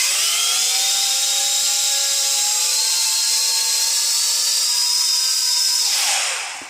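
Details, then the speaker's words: JJRC Yizhan Tarantula X6 H16 drone at full throttle: high motor whine with one motor squealing and drifting upward before spin-down; that motor is failing, lacks thrust, and the drone tips toward its side. "como vemos otra forma es el ruido Como vemos chirría un motor chirría se escucha un chirrido"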